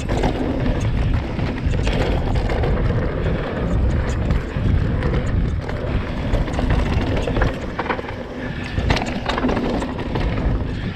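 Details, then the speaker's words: 2020 Vitus Sommet CRS mountain bike on a trail, filmed on a chest-mounted GoPro after the internal cables were sleeved with wiring-loom protector: steady wind and tyre rumble, no cable rattle from the frame. "there we go, guys. Completely different. No more noisy, horrible rattles, which drives you mental."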